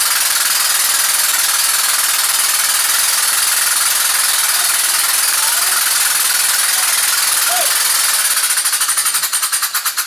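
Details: Old car engine knocks at 40 psi oil pressure after donated parts were installed: fast, heavy metallic knocking at about three per second. It is on cylinder number one, damaged before; a wrist pin is suspected but unconfirmed.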